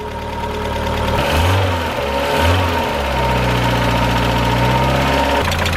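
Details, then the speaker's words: Mazda Miata, engine hot after about 10 minutes running with Rislone engine treatment, before the oil change: a light quick tick keeps pace with idle and blips; hydraulic lifters still ticking. "alright so here there's still pretty bad technics out the treatment didn't work as well as it said it would"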